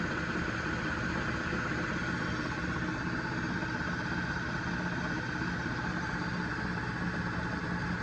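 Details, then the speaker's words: Lathe-headstock-powered milling machine power head at its first startup after final assembly, driven through a phase converter and set for roughly 48 RPM: a steady, even hum with no knocks or rattles. It runs cleanly. "There we go, everything's running nice and smooth."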